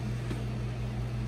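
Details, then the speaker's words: Restored 1964 3M Wollensak Model 524 reel-to-reel at 7.5 ips, heard from the back as the tubes warm up; air-cooled motor with rubber-grommet-mounted cooling fan gives a low even hum and soft whir, no flutter or scraping, healthy. "cooling fan draws air in that way and blows it across the motor it's a air-cooled motor"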